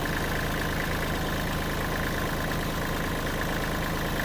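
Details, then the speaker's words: Kubota L3408 4WD tractor diesel at idle after an easy start: even steady clatter, no valve knocking or missed beats, no blow-by smoke; engine sounds normal and healthy. "เดี๋ยวลองติดเครื่องดูเครื่องติดง่ายนะครับเสียงเครื่องปกติเลยนะครับ"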